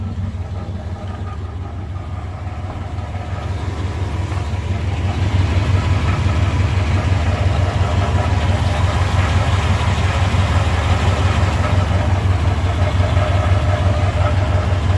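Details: Chevrolet K1500 truck idling with a low, rough, rhythmic knocking rumble that grows louder, mostly at idle and drowned out off idle; owner suspects bell housing area, unconfirmed.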